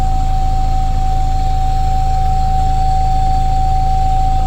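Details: 2022 Mazda CX-60 PHEV at about 12,000 km: constant even hiss with fixed high tone over a soft low throb, coming from below the car; owner suspects fuel pump or something air-related, unconfirmed.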